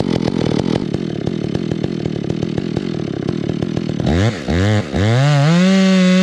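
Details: Stihl MS 461 chainsaw with Westcoast Saws kit (dogs, bark box, Maxflow air filter), carb limiters removed and tuned rich: bogs and burbles unevenly under light load, climbing to a smoother scream as revs rise; four-stroking rumble wanted, scream only in wood.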